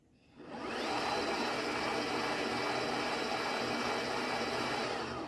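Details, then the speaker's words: CYC Photon e-bike mid-drive motor, early production, just under 3 years and 3,000 km at mostly light assist, chain removed, under throttle: steady high whir with a coarse rough edge; output bearing or clutch suspected failing, with drag varying by crank position. "However, when we turn on the power and operate the throttle, the output bearing gets to be a little bit noisier than it should be, I believe, and that"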